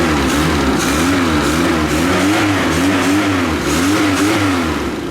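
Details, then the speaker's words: Classic Mini 1100 Special after a crash: engine revs up and down with rough puffing chuff about three times a second; exhaust blowing at the back because the impact pushed the engine back and crushed the downpipe; number 1 cylinder compression 160 psi. "It's pushed the engine back and it's crushed the downpipe. That's what's making the noise."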